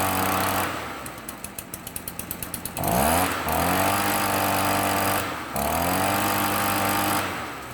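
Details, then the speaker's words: Stihl BR 400 backpack blower two-stroke, run outside after replacing a defective leaking carburetor with an aftermarket one, new air filter, partly cleaned spark arrestor: pull-cord ratcheting, catches and revs cleanly through throttle blips, no stumbling or leaks; normal running. "That sounded pretty good. I'm not seeing any leaks like I was out of the previous carburetor."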